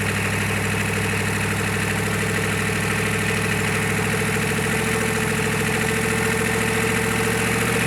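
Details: GEP/Navistar 6.5 diesel, freshly rebuilt (Scat crank, 30 over, moly pistons), Stanadyne DB2831-4911 pump, shortly after startup on the mechanical lift pump, still warming: even steady idle clatter, no misses or knocks; normal idle.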